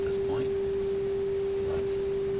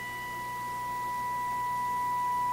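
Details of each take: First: Viking console stereo fed by an RCA WR-52A FM signal simulator, 400 Hz modulation, audio output monitored on scope: pure steady tone, dead level, no fading; clean sine wave, reception normal. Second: Viking console stereo on an RCA WR-52A FM signal simulator, recently switched on: steady test tone slowly swells and sags in loudness; owner suspects tuning drift or misalignment, unconfirmed, investigating FM fading.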